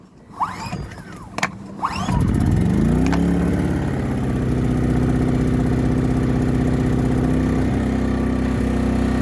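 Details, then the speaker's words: Hyundai 2200 W inverter generator, 80cc 2.7 hp gasoline engine, first start ever, in eco mode: a few clicks and a pull, catches cleanly, then settles into a smooth, quiet, even hum rated about 56 dB; normal start and idle. "so one nice thing about these small generators it's rated at 56 decibels for the noise level so you can actually have a conversation with somebody with this running on the front of it"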